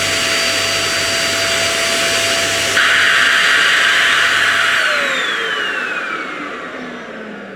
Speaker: it started losing suction within seconds and the noise there's obviously some sort of bleed valve in here such an relief valve that's cut the suction off because it just couldn't cope